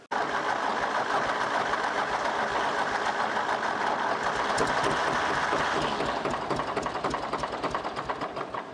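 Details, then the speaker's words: 1964 Lamborghini R2 diesel tractor no-start, after bleeding the injection pump and lines: catches and chugs unevenly for several seconds, then fades and dies; stumbling start from air bubbles still in the fuel system, may need bleeding again. "think we're still dealing with air bubbles running it should get them out"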